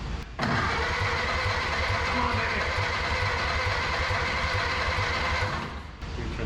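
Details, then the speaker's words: Barn-find 1930/31 Ford Model A coupe, unused since 1964, first start attempt with a leaking carburetor: the starter churns steadily about four beats a second for five seconds without catching. With the choke off it won't catch; it needed full choke. "chok's off I think you got to just choke it you just you just got to choke"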